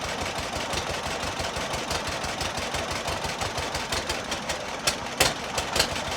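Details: John Deere model B two-cylinder tractor, cold start, first start since summer, nearly dead battery yet fired right up: loose steady popping idle about three pops a second, firing evenly with no miss; healthy idle.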